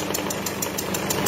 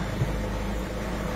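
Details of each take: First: Peugeot 207 SW 1.6 HDi (PSA) diesel at idle: sharp, regular chuffing tick about six times a second. Compression leak past a failed injector seal. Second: Peugeot 207 SW 1.6 HDi diesel after injector seal repair and cleaning: steady, even low hum with no misses, hiss or ticking; idling smoothly and healthy.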